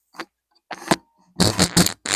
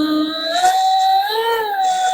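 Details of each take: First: Sailrite Fabricator industrial sewing machine: sharp, dry squeaky bursts about twice a second in step with what the owner guesses is the knee lift (presser-foot lift) assembly. The owner dislikes the noise; he had found it cranked to maximum, then loosened it and heavily oiled things underneath, and says it is much better now. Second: Sailrite Fabricator sewing machine motor with a 12-tooth speed-reducer pulley: steady, clean motor whine with no knocking after dropping back from speed 25, where it vibrates, to a lower speed with no problems.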